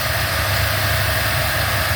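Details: 1977 Buick LeSabre at a warm idle that sits a bit high, a steady even hum. It has an HEI distributor, there is no smoke and the carb pump works. The owner suspects the carburetor and plans to turn the idle down.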